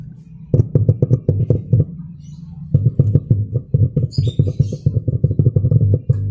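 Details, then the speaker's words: Old Simbada 2.1 active subwoofer speaker after replacing the main power-supply electrolytic capacitor: bass music plays cleanly with no steady hum in the gaps. The hum fault is fixed; the amplifier ICs were fine. "Dan ada groundingnya setelah disentuh itu ada keluar."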